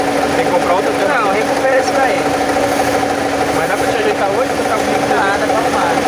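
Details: Car at idle with a constant whirring drone and rough chatter from the belt area, confirmed as a worn alternator bearing.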